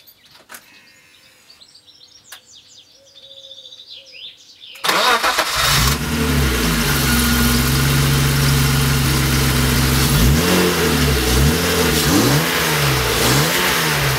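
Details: BMW E36 325i M50B25 after a new starter motor was fitted, with the fuel pump primed at key position two: silence, then a short crank, and it catches at once into a smooth, even idle with a few light revs; healthy start.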